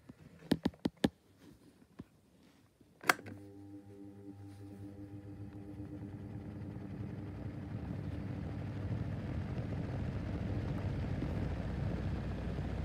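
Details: Schallen 12-inch desk fan with badly worn bearings: a few knocks at switch-on, then it spins up to a steady low hum with a faint rough scraping noise.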